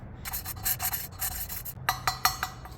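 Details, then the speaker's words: Lapping valves by hand on an RB30 single-cam head being rebuilt; back-and-forth scratchy, gritty rasping strokes. The lapping compound is still cutting and has not broken down; it should turn smooth once it does. "basically i'll keep doing this until i hear that the compound is broken right down and it'll start to sound fairly fairly smooth"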